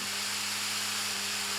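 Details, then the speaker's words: EG-530AD-9F 9V DC fan motor sold as clockwise, actually counterclockwise: loud constant rush of air over steady low hum, running flat out with no speed change; rotation direction mislabeled. "now let me switch it and you'll hear how loud this thing can be"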